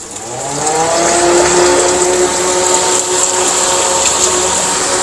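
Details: Air cooler after fan motor and water pump rewiring, pump running with water: fan motor spins up over about a second into a steady, even hum with airy rush, no rubbing or rattle; running fine.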